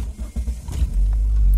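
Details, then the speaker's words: Toyota Avensis after a MAP sensor replacement for hesitation, stalling and code P0105: short crank, then a quick catch and a steady, even low rumble with no stumble, a normal start with no codes. "starts up real good it moves good too"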